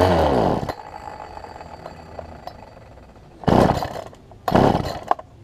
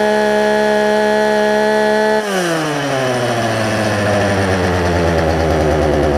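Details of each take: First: Poulan Pro 18-inch two-stroke chainsaw, fuel line suspected pinched between carburetor and engine, before low-side carb adjustment; fires and revs briefly then dies, with short ragged bursts fading out; runs rough and stalls, won't hold idle. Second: Poulan Pro 18-inch two-stroke chainsaw, warm start after carburetor work, suspected pinched fuel line and adjustment screw turned in four or five turns: fires from steady buzz and settles into even, smooth idle after rev drops; running normally.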